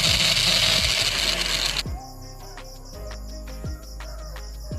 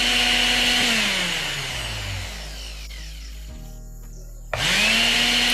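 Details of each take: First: Mixer grinder motor run on direct connection: very loud high-pitched roar and grind, motor not running properly; shaft found loose and moving easily in its bushing, worn bushing causing the noise. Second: Mixer grinder motor that was very noisy and would not run, after oiling and refitting the rear bearing ball under the armature: spins to a clean steady whine, coasts down and restarts smoothly with no noise; normal motor run.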